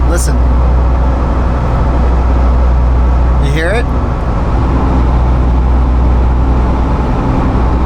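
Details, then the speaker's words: Jeep JL Wrangler on the move: deep, oscillating low hum that comes and goes like a rolling wave, felt more than heard, from a vibrating front driveshaft; driveline vibration. "it that is the sound of a front drive shaft vibrating so as you may or may not have been able to hear in the video clip that we just played we now have Drive Line vibrations it's a kind of an oscillating sound that you can almost feel more than you can hear kind of a w w w sound"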